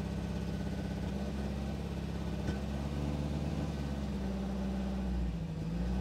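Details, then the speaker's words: 1969 Alfa Romeo GTV 1750 (1779cc four-cylinder), restored, cold: starts right up and idles steadily and smoothly with a low hum, no knocks or ticks; about 60 PSI oil pressure cold. "anyway starts right up idles smoothly"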